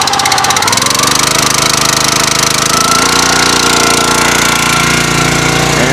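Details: 6.5 HP Kohler engine on a CountyLine log splitter after carburetor replacement (previously died after 5–15 minutes, suspected fuel issue), started on full throttle with choke, first pull: steady, even running note, no stumbling or surging. Running fine.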